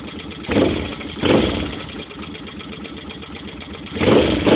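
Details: 2005 Suzuki Boulevard C50 motorcycle, just bought, recorded on a phone: light tapping at idle between two short throttle blips, picking up with revs; source of the tap unclear, owner asking for suggestions.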